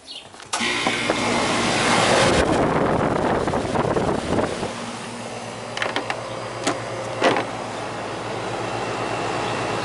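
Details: Goodman AC condenser (house not cooling) started after failed capacitor replacement, 50/5 fan capacitor fitted: kicks on about half a second in, then steady even hum with fan rush; running normally.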